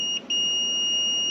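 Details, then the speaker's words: Kohler air-cooled small engine on a Woodland Mills sawmill during an ignition no-spark diagnosis. Multimeter continuity test with one lead in a hole in the block and the other on ground beside it: continuous high beep after a short break, confirming a good ground. "so that should be a good ground the other lead if I touch it to ground beside it we should hear"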